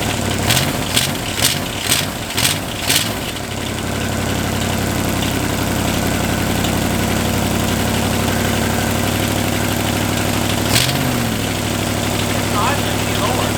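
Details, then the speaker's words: Chevy 283 small-block running on one head (four cylinders, homemade CNC head gasket) at steady idle: light quick ticking up top keeping time with the engine, lifters that bled down pumping back up. "the ticking over here there's a bit of a tick over here like yeah so I think that's some yeah you hear that that lifters going back down"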